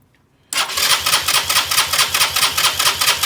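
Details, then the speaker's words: 2020 Keeway RKS 125 fuel-injected motorcycle, noid light on the injector: starter cranks at a steady, rapid beat but it never catches; no injector pulse from the ECU, so no fuel delivered, crank no start. "not getting anything so basically you're not getting any fuel into the engine so it won't roll"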